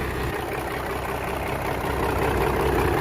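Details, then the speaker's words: 1997 Dodge Ram Gen 2 Cummins diesel with NV4500 5-speed, sat for years, first start: steady even diesel clatter at idle, no misses or knocks, no smoke; normal idle. "I think she sounds all right. We'll have to get it to the yard and pressure wash it and see what we're actually dealing with here. But that sounded all right."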